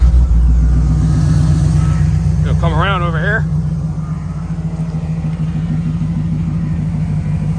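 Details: Chevy 350 5.7L V8 truck with intermittent no spark, after new coil pack pigtail and temporary ignition module pigtail repair: cranks and catches, then settles into a steady, even low rumble with no stumble or miss; idles smoothly.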